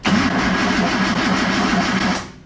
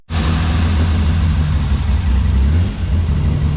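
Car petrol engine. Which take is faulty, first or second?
second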